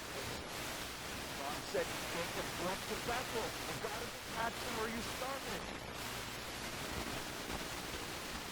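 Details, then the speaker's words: Nordmende 3004C receiver on FM after local oscillator and peaking adjustments, using the original FM antenna: a heavy, even hiss with only faint traces of a station, weak reception plus a shifted band from a local oscillator problem. "well, not too good. I'd say weak is what I think. I think I'm confirming the diagnosis here."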